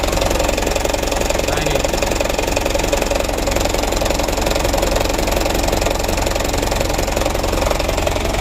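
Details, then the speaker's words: Mitsubishi Canter diesel truck, used purchase, after nozzle kit replacement for heavy white smoke at startup; low uneven idle with loping beat near three per second, shaking badly as rpm too low, raised slightly, cause not yet found: rough idle. "yang pertama mesinnya guncang parah terlalu rendah rpm nya jadi kita naikkan sedikit ini untuk penyetelannya belum selesai ini masih guncang mesinnya"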